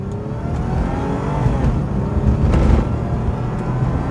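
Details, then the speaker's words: Free Lexus that previously would not start, now warmed up after electrical fixes, on a test drive after cruising at 60: engine pulls cleanly with a smooth rising growl, no stumbles or misses; not fast but runs and drives beautifully. "very nice not the fastest car in the world but it runs and drives beautifully and that's all we need out of it"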